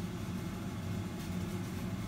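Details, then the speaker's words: Systemair RVK 8-inch in-line booster fan in the roof space on the CDA kitchen extractor ducting, drawing steam from boiling water: steady even low hum, quiet because distant, no rattle or pulsing; strong suction, running normally. "it's got an awful lot of suction because the mount is up in the roof and it's far away you can't hear it and the amount of suck that's pulling there it's amazing"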